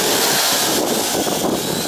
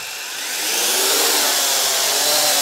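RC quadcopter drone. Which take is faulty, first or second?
first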